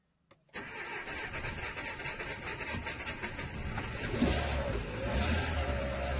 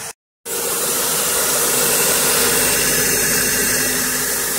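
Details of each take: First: Renault Scenic 1.6 after cylinder head, timing belt and water pump work, with an empty fuel rail: the starter churns evenly for several seconds without firing; hydraulic lifters suspected, timing rechecked OK, and it later started. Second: Renault Scenic 1.6 after a water pump, timing belt, spark plug and oil change, first start with no coolant yet and a slow prime; the hard start was put down to oil in the hydraulic lifters: steady, even idle under airy hiss, no knocks or misfires.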